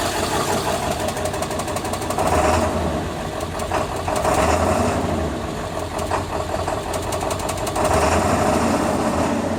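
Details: 2000 7.3L Power Stroke diesel with no power and white smoke: rough idle surging every couple of seconds, uneven clattery bursts over lumpy rumble; cause unknown.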